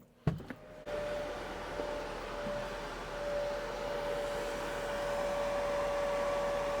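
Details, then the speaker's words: Mercedes E63 AMG, oil cooler electric fan running constantly with steady whine and air rush, heard from outside the car. No oil temperature reading; diagnostics show oil read as freezing versus coolant. Faulty oil temperature sensor suspected; sensor to be replaced. "I can hear the oil cooler electric f is running constantly so quickly I've just checked got on AMG menu and as you can see we have got no oil temperature reading um so probably indicating we've got some kind of uh oil temperature sensor issue"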